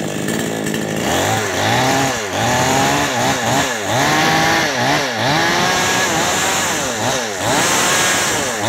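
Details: Type 5800 chainsaw with 22-inch bar: engine surges and sags unevenly, pitch dipping and recovering about every second, sputtering and bogging from an out-of-adjustment carburetor mixture screw.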